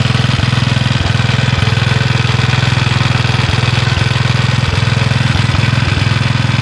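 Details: Villiers Mk 12 stationary single-cylinder engine running on gas after a misfire on first pull: steady even thumping at about 158 beats a minute, no misses; running cleanly and smoothly.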